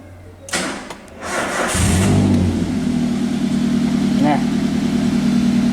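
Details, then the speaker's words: Toyota Avanza EFI engine after repair, diagnosed by scanner for an unstable idle that was sometimes high, sometimes low. Brief crank, then a steady, even idle with no misfire, knock or tick; check-engine lamp now off, idle back to normal. "Nah, sekarang mesin sudah hidup, check engine-nya sudah mati, berarti mobil ini sudah normal kembali."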